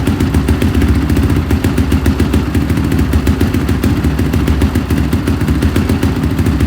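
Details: 2005 Honda CRF450R after owner's top-end rebuild and no-start, timing reset and retorqued, broken spark plug found as cause: steady, even thumping at fast idle, crisp consistent beat, no missed strokes; runs healthy.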